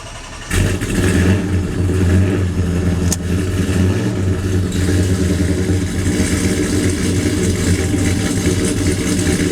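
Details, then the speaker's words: Ram drag truck (9-second) just fitted with a new TorqStorm supercharger TorqStack, rolled out of the carport unstarted for a while. Cold start fires cleanly into a deep, steady V8 idle with no ticks, knocks or belt squeal. Healthy cold start. "Hasn't been started in a while, so we'll finish the video off with basically a cold start, because I rolled it out of the carport, didn't even crank it."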